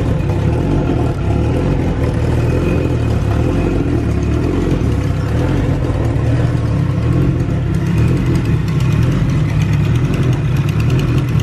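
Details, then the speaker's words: SHO'NUFF engine at idle after fitting a new manifold: fast light ticking riding on the exhaust pulses, like an exhaust leak; found to be gas escaping from an open EGR port the new manifold lacks a block-off for. "feel it yep your egr ports open that clicking sound this new manifold must not have a block for it"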